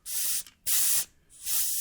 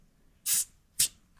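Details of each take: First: Microphone clipped down at the tire valve, tire near 24.5 PSI: three sharp half-second hissing bursts as the pressure gauge is not held square and fails to seal, giving an inaccurate reading and letting air out. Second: Tire pressure gauge pressed onto the tire valve, microphone clipped down near the valve, tire at about 24.5 PSI: two short, crisp hisses, each cut off quickly; gauge seated squarely, no air leaking.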